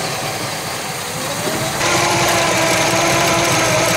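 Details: 1966 Chevy Biscayne 396 big-block V8 warming from cold after lower radiator hose replacement and coolant refill, waiting for the thermostat to open: even idle that steps up slightly in speed and loudness, smooth and regular, no knocks; normal cold idle.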